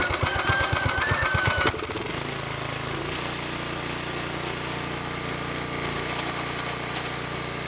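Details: Tiller unused about 20 years, after restart: rough chugging at first, then the small single settles into a steady even putter with no knocks; running fine.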